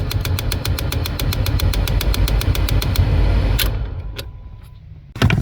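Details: 2011 Kia Sorento XM 2.4L 4-cyl automatic, key on: rapid even clicking about six per second over low hum from the A/C servo (blend door actuator) motor under the dash, jammed; fixed by replacing the motor.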